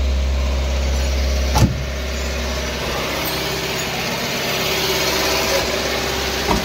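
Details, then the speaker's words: Mahindra Bolero BS6 pickup diesel, after silencer refitted, forced DPF regeneration via scan tool for very high soot mass: steady diesel clatter at fast idle lifting slightly and holding; raised idle during regeneration. "Radiation चालू हो गया, अब चलेगा radiation. कब तक चलेगा देखना है।"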